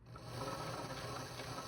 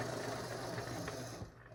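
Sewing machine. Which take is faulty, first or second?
second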